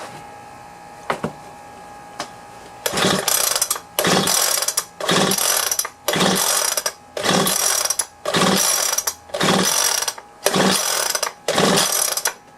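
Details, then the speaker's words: Leaf blower after being cleaned out and reassembled: about nine steady recoil pulls, each a ratcheting whir, with no firing at all. Spark is to be checked next. Cranks but will not start. "well it doesn't look like it's trying so i'm gonna check for spark"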